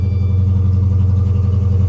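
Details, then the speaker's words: Damaged Dodge Charger SRT8 at auction (6.4 Hemi stated), idling with check engine light on; deep V8 rumble with uneven loping pulse, running rough. Cause unknown. "Smug a little rough."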